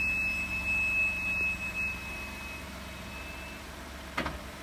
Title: Brake squeal